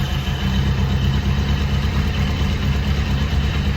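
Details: 2001 Kawasaki KZ1000 Police revived bike, started with the clutch pulled in after fresh oil was added, warming up to circulate the oil: steady, even low-pitched idle with no knocks, ticks or misses; running cleanly.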